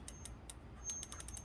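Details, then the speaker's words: Lectric XP e-bike wheel spun by hand, ticking quickly with a faint thin squeak from a slight disc brake pad rub on the rotor. "And it sounds like I really do have a brake rub. But not much of one."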